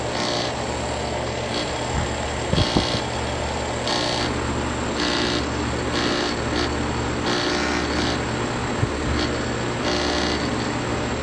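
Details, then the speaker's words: Outdoor AC compressor unit running with a steady low hum, a slight rattle, and a loud, rough hiss surging about once a second. The technician suspects a bad electrical board. "i think the electrical board may be bad or i don't know it's running but rattles just a little bit"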